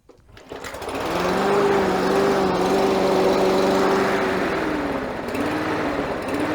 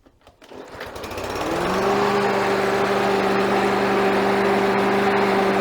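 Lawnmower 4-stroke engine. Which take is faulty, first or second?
first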